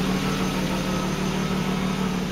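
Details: 1996 Jaguar XJ6 Sovereign at about 130,000 miles, not run for three weeks: smooth, even idle with a steady low hum and no knocks, misses or ticks. Healthy engine.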